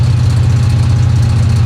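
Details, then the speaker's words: 1966 Chevy Impala V8 on its first highway drive in over 20 years, pulling hard: fast metallic rattling and tinging over the rumble, heard through the firewall; occupants suspect valves, oil pressure very low and dropping. "That sounds like valves about to blow. Does it? You hear that rattling, tinging, teaming."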